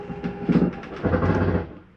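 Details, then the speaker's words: 2022 Jayco Eagle 29.5 BHDS dinette slide-out retracting; rapid clattering ratchet about a second and a half as the slide bottoms out, then stops. Normal end-of-travel noise, not grinding; the slide mechanism stopping itself. "want you to hear that noise there's nothing grinding that's the slide mechanism telling itself don't come in any further"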